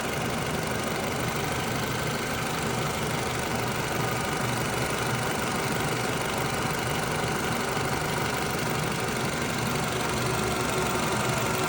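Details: 2009 Toyota RAV4 petrol engine whose top-end tapping was fixed with a new upper timing chain guide: steady, even idle hum with no obvious tapping from the top end.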